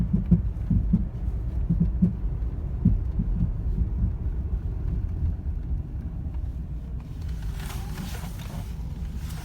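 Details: 2010 Toyota Corolla LE making a loud thumping popping noise, louder in person; low uneven thumps roughly a hundred a minute under the engine rumble, fading later; cause unknown.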